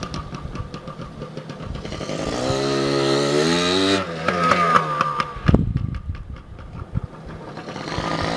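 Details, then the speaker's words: 2002 Yamaha PW80 two-stroke, first cold start after sitting over 2 years, oil pump removed, air filter off, carb untuned: crackles to life, revs briskly with rising buzz, drops to popping idle; runs well. "But yeah, she's a good little runner, quick little peppy bike. I'm impressed for an 80, yeah."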